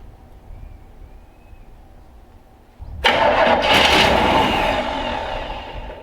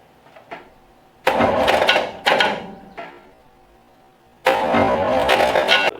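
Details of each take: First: 1965 Chevrolet C10 step-side truck, sitting a while, started after priming fuel into the carburetor: quiet for a few seconds, then it catches at once and settles into a strong, steady run; clean start. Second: 1965 Chevrolet C10 long bed step side, after tightening the starter wire connector: three bursts of harsh starter whirring without catching into a steady crank; seems to want to engage after rolling the engine by hand, starter suspected faulty.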